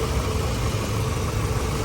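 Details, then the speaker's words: Toyota Wish with weak A/C and a cooling fan not running fully, after repair: steady even idle with constant cooling-fan whoosh, no knocks or squeals; cooling fan now working normally, no overheating shown. "ระบายความร้อนทำงานปกติแล้วนะครับมีหน้าดูนะรถระบายความร้อนนะครับทำงานปกติแล้วนะ"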